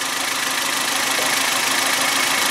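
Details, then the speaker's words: Suzuki G16B 16-valve Geo Tracker engine, 133,000 on it, fully warm after valve lash adjustment: the idle is smooth and even with a light steady patter and no lifter ticking, passing the water-bottle test. A normal healthy idle. "you got a little shake to the bottle mess yeah that bottle is just like that is there just chillin that's good no problem"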